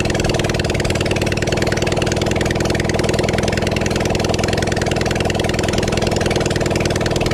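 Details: Kawasaki Zephyr 750 four-cylinder during restoration, outdoors, just after refitting carbs, with some choke, fuel and a string throttle: steady, even burble with no knocks or misses. Normal idle.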